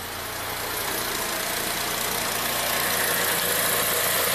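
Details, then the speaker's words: 2007 Acura RDX, 210k miles, P2263 turbo boost performance code disabling AWD: light metallic rattle at idle that grows on a slight throttle blip, suspected from a loose turbo linkage (wastegate/actuator gap noticed, not confirmed). "i did notice it makes a weird rattling sound when you uh you know when it's just idling and you kind of give it a little gas it's like it's rattles"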